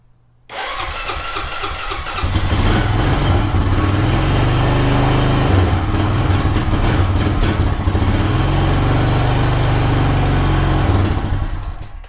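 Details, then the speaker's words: ATV with a dead lead-acid battery solar-charged for two and a half hours on an overcast day cranks briefly, catches within two seconds and settles into a steady, even idle. It is a normal, healthy start. "so let's go take the battery and see if we can start the ATV with it"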